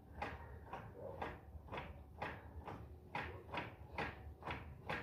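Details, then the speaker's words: 2005 Fiat Siena HLX 1.8, in first gear, right passenger-side front wheel rocked by hand: hollow clunks about twice a second from the inner CV joint at the gearbox; owner unsure whether it is play or normal. "Faz esse movimento e esse barulhinho aqui na na homocinética aqui, ó. Tá vendo? Não, moinete interno. Não sei, não sei se é folga ou se isso aqui é normal."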